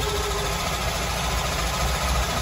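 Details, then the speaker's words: Twin Crusader 350 inboard V8s in a Pacemaker 36 SF after fixing broken belts and torn hose that caused overheating: steady low rumble with even beat, no knocks or squeals, no smoke or leaks; idling smoothly. "no knocking no knocking no smoke no leaks sounds good"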